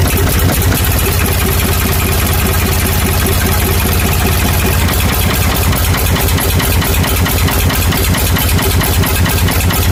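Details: Ford 555 backhoe diesel after head reinstall, once the fuel filter, injector pump and injectors were bled step by step: steady, even chug at a low regular beat with no stumbling or misses; engine idling cleanly.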